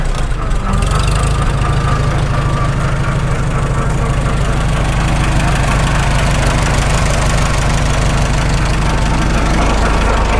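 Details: Farmall H tractor after sleeve repair, warmest yet, idling; steady low beat with a cyclic whir, which the owner attributes to worn constant mesh gears at the front of the transmission, not the belly pump, whose drive coupling is removed.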